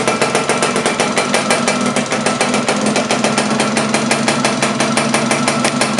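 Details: Laverda LB 125 two-stroke with Zündapp KS 125 WC engine, first starts after rebuild: sharp, even pops about five or six a second over a raspy exhaust. It runs steadily and regularly.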